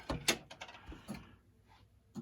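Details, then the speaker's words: Gottlieb Haunted House pinball board set after repair, filter capacitor and 7404 at Z16 replaced, in test 16: relays click twice, sharp and clean with no chatter or buzz; normal relay operation. "You'll hear the relays click twice, and you can see the lights changing there."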